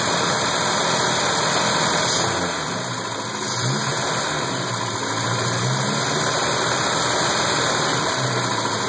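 Idle has an uneven, lumpy beat with stumbles roughly three times a second after the rev drops back; sounds like a misfire.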